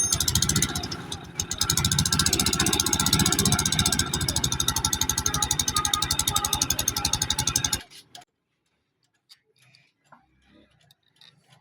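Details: Honda CG 125 single-cylinder motorcycle engine at idle: a fast, sharp ticking rides over it, then it cuts off. It is a valvetrain tick, cause unconfirmed.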